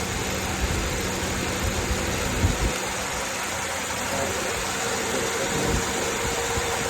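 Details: 2012 Toyota Camry 2.5: steady idle with a faint, thin whine above the engine holding its pitch; symptom of a failing alternator.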